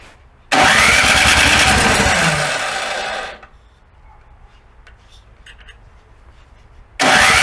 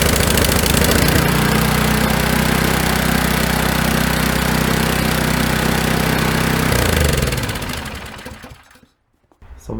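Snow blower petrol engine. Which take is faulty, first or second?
first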